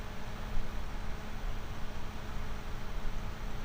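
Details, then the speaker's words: GVM PR 150R RGB LED monolight, 12 V DC cooling fan at full voltage with no resistor, baseline before fitting a speed-reducing resistor: steady airy rush with a faint low tone; loud cooling fan noise. "Again, I wanted just to get a baseline again with no resistor, the straight fan noise at this mic level here."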